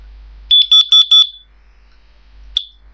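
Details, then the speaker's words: Brand-new combined smoke and carbon monoxide alarm on test, horns partly covered; four loud, shrill beeps in quick succession, then a lone chirp, with a carbon monoxide voice warning; alarm sounds normally on its test cycle, about 100 dB uncovered. "that's how it sounds like I did cover up the horns you see because it is Extremely Loud it is it's like about 100 Debs"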